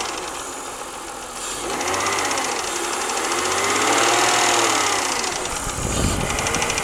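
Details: BMW 323i engine with a fast, even light ticking/pinging from the top end, about four per second; it got louder after the cylinder head was rebuilt and machined (valve job); cause unknown.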